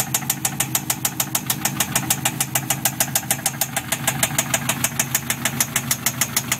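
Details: 6L V8 L76 Thunder Ute: a sharp, even knock or tick about three times a second over a steady idle; it appeared the day after purchase and its cause is unexplained.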